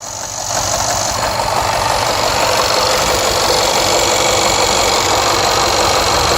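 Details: Jaguar XFR AJ133 5.0 V8 misfiring on the rear bank, cylinders 5-8. Codes P0300, P0306 (always first), P1315, P228F fuel pressure regulator too high, P00C6. Runs rough and uneven with irregular stumbles and a hiss. Engine misfire.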